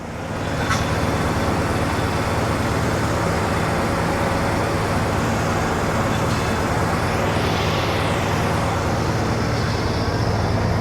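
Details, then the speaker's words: 1981 Pontiac Trans Am WS6 301 Turbo V8 idling after reassembly with belt alignment checked, wheel being turned: even idle with a faint whine rising and fading with steering; power steering pump sounds quiet and healthy, better than before. "So I would say that's power steering. Seems better than it was."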